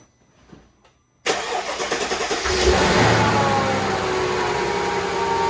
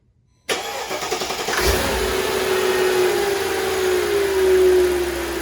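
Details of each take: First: 2004 Mercedes-Benz G500 W463 V8 just after new valve cover gaskets, spark plugs and plug wires: cranks and catches, then a slightly lumpy uneven idle; misfire from a spark plug wire seen arcing, to be reseated. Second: 2004 Mercedes-Benz G500 W463 V8 after valve cover gaskets, spark plugs and plug wires replaced, arcing wire reseated: cranks, catches, settles into smooth even idle, all cylinders firing, slight normal valve clicking.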